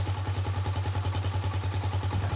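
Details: Gatoma GT150A motorcycle idling: even, steady thumping about eight beats a second, no misses or knocks; normal idle, charging system reads 13.5 V and rising, so the year-old battery is suspect.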